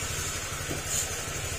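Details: Honda Click 150 scooter idling after overhaul: steady, even beat with no knocking or tapping; earlier knocking came from resting on steel and possibly a slightly loose piston pin, now gone.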